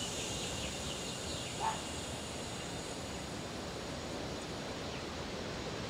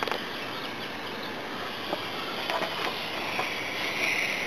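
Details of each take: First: Car AC system being filled with nitrogen to 150 psi for a leak test after a failure at the upper bracket: a steady, even hiss of gas flowing in, which stops once the fill is done. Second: Car air conditioning system pressurised with nitrogen to about 100–110 psi: a constant thin hiss with light clicks, from a leak at the condenser, with pressure dropping to 50–60 psi.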